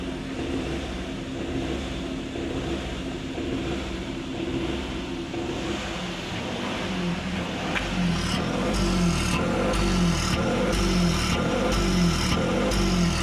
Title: #Engine missing and misfire #mechanic #automobile #maruti #automobile #rpm